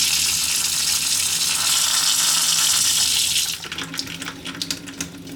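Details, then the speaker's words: Water pump in a 2023 Airstream Globetrotter after fitting an IRVWPC2 intelligent pump controller: steady, even rush of water with no knocking or banging, much smoother at low flow than before. "it should be a lot quieter less banging of the yeah it's very nice much smoother flow at low"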